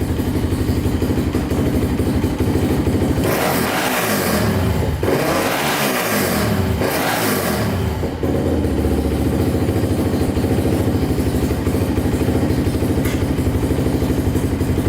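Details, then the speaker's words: Polaris Outlaw 525 quad, bought as needing a carburetor clean, with oil looking normal but smelling slightly of gas: single cylinder settles to a steady idle and revs up and down cleanly with no knocks; it runs healthy. "sounds really good doesn't sound like anything's wrong with it at all"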